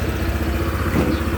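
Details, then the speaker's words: Honda PCX 160 RoadSync scooter idling after fitting a JVT S2 racing pulley: smooth even idle with a steady low pulse, no belt squeal or pulley rattle, quiet drive side; pulley matches, normal idle. "Tahimik naman yung panggilid natin. Mukhang match naman yung nabili nating pulley sa ating bagong PCX 160 Road Sync."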